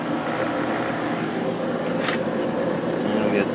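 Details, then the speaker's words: Whirlpool Accudry 40-pint dehumidifier, late-1990s or early-2000s, reciprocating compressor, switched to high fan drawing 6.46–6.5 amps: steady airy fan rush over smooth compressor hum, plenty of airflow through the clean condenser; normal running. "6.46 6.5 and plenty of air flow through the condenser so that's still clean"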